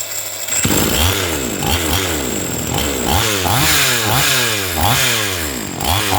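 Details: Chainsaw that would not start, after cleaning the carburetor and its clogged fuel passage: crisp throttle blips, about eight in five seconds, each climbing and falling back cleanly; normal running after the fix.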